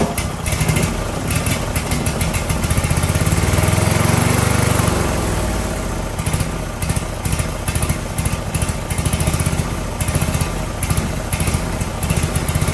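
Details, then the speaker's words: Briggs & Stratton 18 HP Vanguard twin, second start attempt: thumps unevenly, swelling briefly then sagging, never revving up; user error, the governor arm was pushed instead of the throttle. "I'm wondering if this thing is governed, because it's just kind of not revving up anymore."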